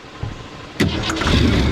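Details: 1963 Ford Fairlane 500 with 260 V8, abandoned for years, after new battery terminals: brief crank, then it catches cleanly and settles into a steady, deep idle with no misses; normal start and idle.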